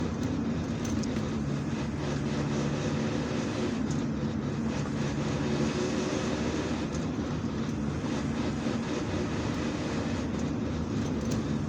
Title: Volkswagen T4. 2.4 D 1995. Gearbox noise. While load on the transmission.